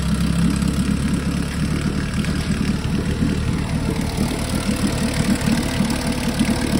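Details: 1952 Johnson SeaHorse 10hp two-stroke outboard revived without carb rebuild or new impeller; steady even low-speed putter with no misses or knocks; runs good, though needs pull rope, O-rings, grip and gas leak fix.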